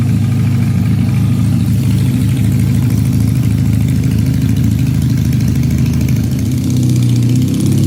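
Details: Supercharged Honda CL175 at warm operating temperature, checked for a heat-related vacuum leak: steady, even low idle with no hunting or surging; the earlier erratic idle is absent.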